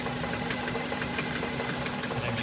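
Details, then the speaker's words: Subaru: sharp, uneven knocks about every third of a second over a quiet idle, coming from inside the engine and sounding terrible; cause unknown. "i just i really can't come up with an explanation i mean it sounds absolutely terrible"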